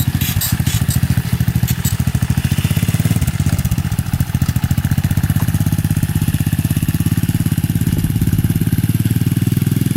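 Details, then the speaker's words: SSR 125 pit bike that died when the choke was turned off, after cleaning the blocked pilot jet, running with choke off; loud, fairly even single-cylinder thump, now running much better, though it seems a little lean. "oh yeah that sounds like it's ripping now we think Brandon better it's much better much better better"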